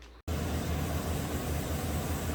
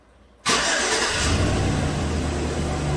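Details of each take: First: 2017 Chevy Silverado 2500HD, 6.0 or 6.2, with P0300/P0302, after replacing a carbon-tracked cylinder 2 spark plug and cleaning the boot: steady, even low V8 rumble at idle with no stumble; normal idle. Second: 2017 GM 2500HD truck, 6.0L V8, flashing MIL, running rough, codes P0300/P0302, just after startup. It cranks and catches, then idles slightly uneven and lumpy with occasional stumbles; active cylinder 2 misfire that soon cleans up, spark plug suspected.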